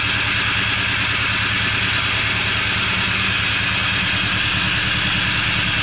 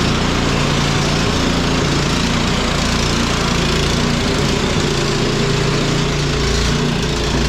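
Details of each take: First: Cub Cadet 1X snow blower that sat with fuel from March to December, cranked on electric start. Steady starter whir with uneven pulses and no firing; the fuel smells bad, and the carburetor was cleaned and the fuel changed: crank no-start from stale fuel. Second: Cub Cadet 1X snow blower that would not start after storage with undrained gas, now running on fresh gasoline; small single-cylinder engine runs at a steady pace without stumbling or surging and holds speed; normal running.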